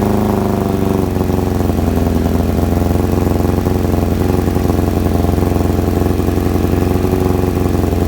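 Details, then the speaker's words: Kawasaki ZX-7R four-cylinder after carb cleaning for a faltering idle circuit, cold start: steady, even idle with smooth low burble, no misses or knocks, idle screw now working; normal cold idle while warming. "the idle screws working now as well there must have been some crap in the idle the side of it"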